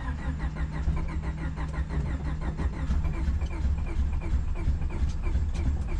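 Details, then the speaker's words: Honda Civic D-series turbo build (cheap eBay turbo), first start attempts after a year of building: steady rhythmic cranking about three beats a second, catching briefly but never running; fuel problem suspected, fuel lines to be checked. "it sounds like we're having it's kind of feel problem I'm gonna go and check the lines"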